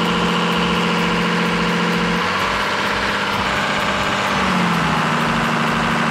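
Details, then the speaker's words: Cummins diesel truck with P7100 injection pump: steady running note at about 1800 rpm unloaded sags to a deeper, slower beat, about 1300 rpm, when the exhaust brake adds load, then holds evenly; normal governor response. "with the load off it was about 1800 rpm but once to turn on the exhaust brake it dropped about 1300 rpm"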